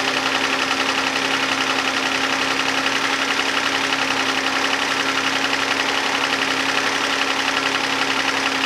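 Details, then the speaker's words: 2011 Hyundai Santa Fe 3.5L V6 after oil pressure switch job: fast steady ticking, about four per second, over smooth idle, far louder than it should be; owner suspects lifters or injectors, possibly oil-related, unconfirmed. "You can still really hear the lifters a lot, or it's maybe the injectors, but that sounds way louder than it's supposed to, I'm pretty sure."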